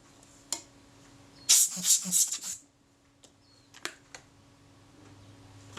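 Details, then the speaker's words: Kodak Retinette IIB camera during servicing, shutter and self-timer reassembled: crisp, sharp clicks with a brief buzzing run-down between; shutter fires cleanly and quickly, working normally. "That That That sounds very good. It's incredible speed."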